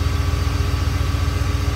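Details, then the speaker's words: BMW V8/V12 viscous-coupled cooling fan returning to idle as viscous fluid drains back to reservoir; steady low whoosh with even airy pulse as fan slows until it can be stopped by hand. Viscous fan disengaged, normal. "You can see it slow down, you can hear it slow down. And once the viscous fluid is all returned, it imparts such a small force to the fan, you can stop it with your hand."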